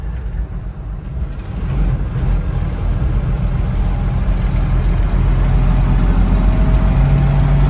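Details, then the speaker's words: 1967 Chevrolet K10 Suburban, 112,000 original miles, carburetor rebuilt and tuned, driving in third gear at about 40 mph in traffic; deep steady rumble under road load, even pulses, no knocks or misses, road roar underneath, healthy old-truck engine. "see what I mean about like a nice sound it still sounds like an old school truck which is what you wanted something like this"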